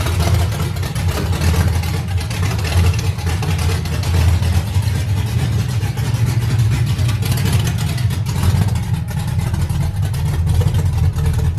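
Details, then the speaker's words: Deep, steady V8 idle with an even lumpy cam rhythm, no knocks or misses, on a 5.3 LS swap with stage 2 cam and new Kemso 340lph fuel pump at initial start-up, cooling system not yet set up; normal idle. "I still gotta set up my cooling system but I'm excited. It's got an idle."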